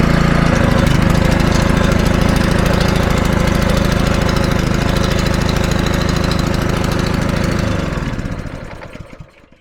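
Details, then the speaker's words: Scrap petrol pressure washer, seized pump, throttle about halfway, started with brake cleaner: small engine catches and settles into a steady, even putter near four beats a second, then winds down and stops; runs fine. "it actually runs alright once you get it going."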